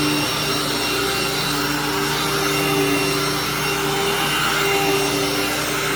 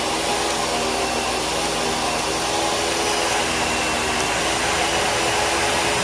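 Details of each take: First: Hoover vacuum: loud but steady whoosh with a constant motor tone and no knocking or grinding. It works normally and nothing is broken, just very noisy. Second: Bissell vacuum, model U5140900 from 2012, needing a belt: a loud, rough, airy roar with a gritty rattle under the motor hum; the brush roll is noisy but still turns and just needs cleaning.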